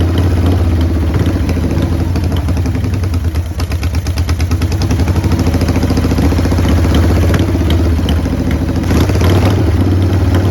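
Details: 1990 Harley-Davidson Sportster 883 restoration project: deep, uneven thumping idle hunting with loose clatter; runs rough; owner suspects intake leak, as one plug read lean and one rich.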